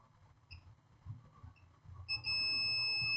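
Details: Acer Aspire 3 A315-32 laptop motherboard with no power: after quiet probing, the multimeter gives a solid, unbroken high beep, showing a dead short to ground across a capacitor on the 19-volt line.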